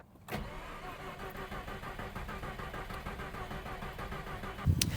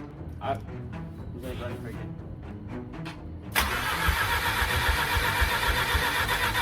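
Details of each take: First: Mazda RX-8 Series 2 rotary, low compression, cold engine before rebuild: slow uneven cranking about four seconds without catching, then a burst at end; hard cranking, no start from weak rotor compression. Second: Series 2 Mazda RX-8 rotary engine, reassembled after low-compression teardown: brief uneven cranking then catches within seconds into steady even idle; normal start.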